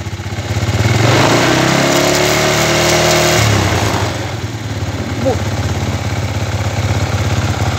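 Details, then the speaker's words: Chinese 125cc kick-start motorcycle engine with iron cylinder, testing an analog 5-wire AC CDI: revs then drops to an uneven, pulsing idle about three beats a second that won't settle; this CDI fires far too advanced, hard starting. "al avance llega bien pero vieron donde arranca mucho antes de la f qui está super adelantado y la moto prácticamente no modera"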